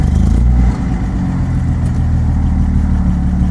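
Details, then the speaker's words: Datsun 240Z carbureted engine idling after carburetors adjusted to factory settings: low, even, smooth idle with steady rumble, no misses or knocks, though owner notes it still shakes and feels slightly lean; normal idle after adjustment. "Whoa, it's idling really good. Oh my god! Holy shit!"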